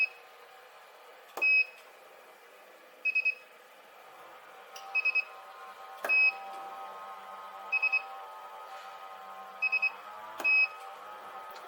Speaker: The beeping that you can hear is the welding machine just charging back up again. It just takes a few seconds.